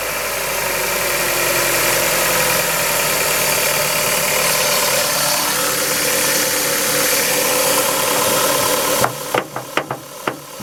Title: Kia Ceed 1.6L G4FC engine rattle noise cold